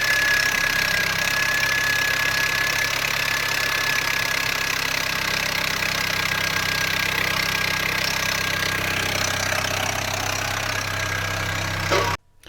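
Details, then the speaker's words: R53 Mini Cooper S bought cheaply, first cold start: loud busy clatter over a fast idle, chain rattling against guides, much quieter moments later; worn cam chain tensioner suspected. "so we all enjoy your first start have a listen to this it is"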